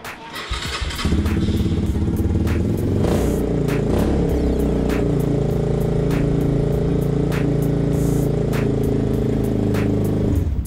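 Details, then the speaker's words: Yamaha Raptor 250 quad single after a dropped exhaust valve, rebuilt with aftermarket cylinder kit and used head; fires up and runs smooth and steady, even beat, no tapping or clatter, then shuts off, healthy. "what do you think that's not a sound you've heard for a while is it well no just the sound that it actually runs how cool is that"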